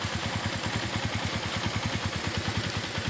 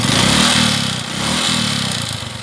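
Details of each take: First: Suzuki Shogun 125 RR ("Shogun robot") after a major service for hard idling: starts straight away, lights no longer flicker, and it holds a steady, smooth single-cylinder beat. Normal idle. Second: Suzuki Shogun 125 RR reassembled during a major service, smooth at idle: revving up and settling twice brings a dry metallic clatter. It is piston slap rather than valve noise; a new cylinder block was planned.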